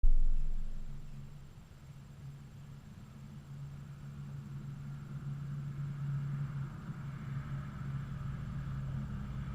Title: 2002 Subaru Impreza WRX w/ rod knock